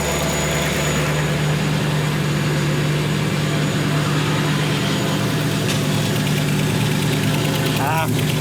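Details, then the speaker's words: V8-swapped Ford Capri at idle with a big exhaust leak blowing at the back and side of the 'pump' (as stated). A quick, regular ticking puff, about three a second, sits over the rumble. Smaller leaks are also known; a new exhaust is planned. "Alright, so let's have a look at this exhaust leak first. Check in. Oh, we do have the back of this pump is blowing out there. The side of that pump as well."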